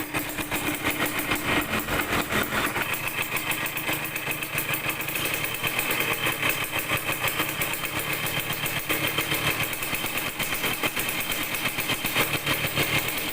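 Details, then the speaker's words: Yamaha DT100 two-stroke after an intake leak was fixed by tightening a loose nut: raspy note blips unevenly and won't pick up when the throttle opens; carburetor air screw mistuned, needs retuning. "แต่เดี๋ยวต้องจูนอากาศใหม่นะครับรู้สึกว่าเร่งมันไม่ออกเร่งแล้วไม่ออกนะครับเดี๋ยวผมต้องลองจูนอากาศใหม่ก่อนนะครับ"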